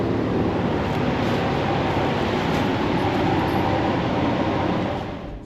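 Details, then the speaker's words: Nissan Xterra with a blown head gasket, started after sitting about six months, on a new battery: uneven, stumbling idle about three pulses a second, never settling. "Let's Let's see if we're good to go. That's rough. That's so rough."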